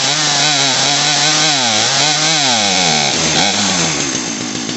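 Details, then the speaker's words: Poulan Pro PP4018 chainsaw first start after new carburetor, fuel line and primer bulb: revs wander and sag, bogging from slightly lean mixture before carburetor adjustment. "It's a little bit lean. Hear it bogging out."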